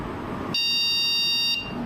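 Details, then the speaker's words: PC motherboard with traces broken during cooler removal, memory fitted in slots 1 and 2 nearest the CPU: one long high-pitched beep, no boot; memory error, likely from the broken trace cutting those slots off. "Mas ainda assim, com ela conectada, você vê que ela apitou uma vez. Então certamente está indicando que a memória está com algum erro."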